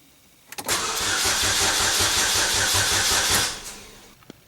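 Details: 2007 Chevy Cobalt 2.2 L Ecotec after serpentine belt replacement: starter cranks steadily about three seconds with even chugging, never catches; crank no start, later traced to a corrupted fuel trim setting reset with a scan tool.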